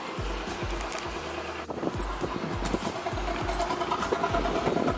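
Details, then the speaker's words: Car with new fuel filter, plugs, wires, distributor and ECU, has an exhaust leak; blipped throttle gives an uneven stumbling idle with irregular chuffs, like running on three cylinders. Misfire; owner suspects the crankshaft position sensor, unconfirmed. "give it a little gas who can hear it's like misfiring and it sounds like it sounds like it's running on three cylinders"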